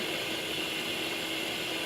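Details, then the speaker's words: Steady airy hiss with the engine off during a smoke test on a 2002 GMC Sierra with a P0174 lean code. Air and smoke escape from a rust-caused vacuum leak at the bottom of the EGR tube or EGR base. "I can actually hear it so I can hear the air pissing out and it appears looks like the bottom of that"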